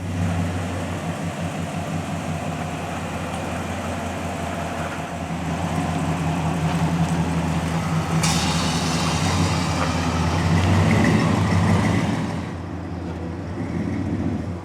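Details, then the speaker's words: 1997 Chevy Tahoe V8, solid axle swap, after three years in storage, fluids checked: deep smooth rumble at idle, briefly rising with a throttle blip and settling back; runs fine. "well I'm actually pretty impressed thing fired right up like I said the transmission feels good as far as first gear went right in"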